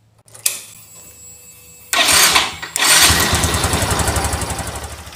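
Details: Yamaha motorcycle that kept blowing fuses, traced to a shorted regulator (kiprok), with new spark plug cap fitted: starter whirr, then it catches and settles into an even, steady idle, no misfire; regulator warm, not hot, working normally.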